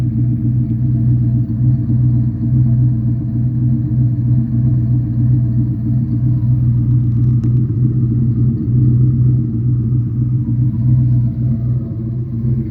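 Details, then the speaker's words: Turbo Mustang V8 at idle after milling passenger header and fitting a Remflex gasket: deep steady rumble with faint valvetrain tick, previous audible manifold exhaust leak gone; tiny V-band leak remains; normal idle. "A little valve train noise, but I don't hear the obvious leak that I had before, where I could hear it over the exhaust while driving."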